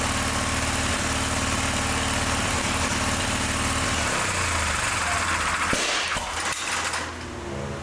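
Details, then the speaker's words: John Deere 318 garden tractor, after a valve job: uneven chuffing idle at about four beats a second with a loose rhythm, then dies down; runs but got very hot fast; mechanic suspects an ignition problem, same fault as before. "Well, it sounds to me like it's doing the exact same thing it was doing. That's why he took it apart. Well, it did need a valve job, but that ain't what's wrong with it. To me, it sounds like it's got an ignition problem because it's running, but it got real hot real fast."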